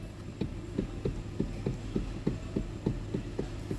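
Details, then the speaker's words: Hyundai steering column: dull hollow knocks about three a second from worn rubber coupler between the power steering motor and steering shaft; cheap part, straightforward fix. "that's the rubber in between the steering motor the power steering motor and the um the steering shaft that goes through the steering wheel somewhere under here pretty cheap part straightforward job"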